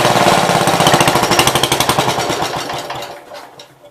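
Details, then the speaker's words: 1966 Gravely C10 single-cylinder on a temporary battery coil (no-spark fix), shut off by pulling the wire: a slow, even idle putt that fades as the engine stops. Normal idle. "So basically to shut it off I have to pull that wire off. Everybody ready? Got her down at an idle."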